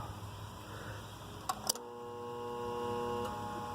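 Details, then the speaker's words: Armstrong Air outdoor AC unit with the contactor pushed in by hand; the unit has a bad 50+5 µF run capacitor. Contactor clunks in, then a steady low hum with no spin-up; the compressor fails to start on the dead capacitor. "you hear the sound of a dead capacitor hopefully we will get lucky compressor tried to start up but no capacitor"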